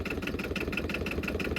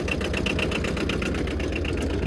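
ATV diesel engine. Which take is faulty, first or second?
second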